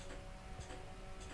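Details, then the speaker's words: Nissan Skyline R33 with an AEM Series 2 ECU, key on and engine off during an ECU firmware reset attempt: faint ticks about every half second from the fuel relay cycling. The ECU won't connect; the owner suspects a fried ECU. "guys hear that clicking means that the fuel relays still clicking not a good sign"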